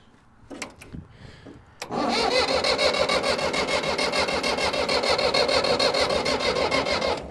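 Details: Old Case diesel tractor (called an 1896 Case), after connection trouble: it cranks, then catches and settles into an even beat of about 200 a minute with no misses; it starts and runs, later stopping, probably out of diesel.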